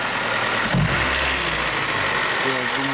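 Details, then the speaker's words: Hyundai Grand Starex, 2.4 G4KG naturally aspirated petrol engine, idling: hard rapid knock, pistons scuffed against cylinder walls; engine to be removed and disassembled. Piston knock. "это стандартные для двухлитровых которое 4 не турбированных отмечу моторов звуки проблема с поршнями"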